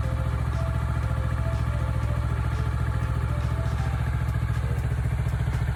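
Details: Kawasaki Ninja 400R 400cc twin, 2013-registered, started after three months unused with expired inspection, battery feared flat; steady even fast idle patter with no misses or knocks; normal idle.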